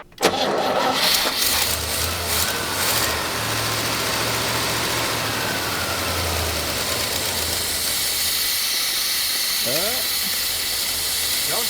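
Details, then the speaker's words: GMC 3500 long-bed truck sitting since 1995, cold with choke not working and idle screw turned up: loud steady hiss over a fast cold idle as air is sucked in; vacuum leak. "die where that hissing is loud yeah that's crazy that is loud loud"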